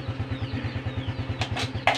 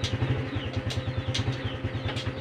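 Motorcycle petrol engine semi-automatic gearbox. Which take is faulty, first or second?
first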